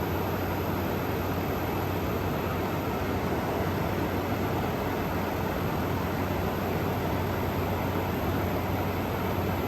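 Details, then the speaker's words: Frigidaire Gallery GHWQ103WC1 10,000 BTU air conditioner, 115 V, likely dual inverter, under a year of use, salvaged: even soft airflow hiss and faint low hum at low speed after condenser fan ramped down, no rattles; ice cold, very quiet, normal running. "thing is so quiet it's incredible and for having not even a Year's worth of use on it this is totally worth the pickup"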